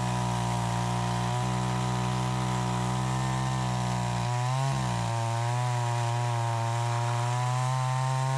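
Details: Troy-Bilt 20-inch chainsaw cutting after carb adjustment: a strong, steady two-stroke howl dips briefly as the bar bites, then recovers cleanly. It is healthy, better than since new; the owner thinks a little more RPM is possible.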